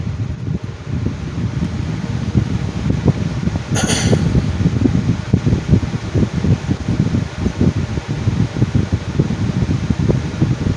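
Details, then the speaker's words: 2019 Lasko Cool Colors 20-inch box fan on high: a low steady rush with an uneven thumping pulse and rattle that vibrates the table. Blade balance problem, with no cracks or chips seen. "okay so now it's starting to act up a little bit and the table is Tables by vibrating along the fan bit now we'll we will power it up to high"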